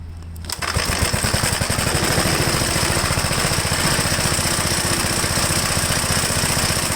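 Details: 1969 Gravely Model L, owner says it acts more like an LI intermediate-speed model, newer engine with 7.6 hp head and top spark plug, already warmed up, fires right up and runs at a steady even beat; healthy running.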